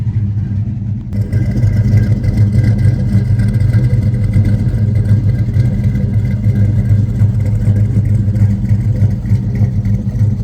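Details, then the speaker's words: 1968 Camaro with LS swap, 6.0 L LS with Summit 8719 cam, recorded outdoors in wind: deep lumpy rumble with uneven cam lope and steady low thump at idle and revving; normal cammed V8. "I said 8719 watch my hand 8719 is the cam it's a summit grind starts right up all right let's get out here so you can hear this thing"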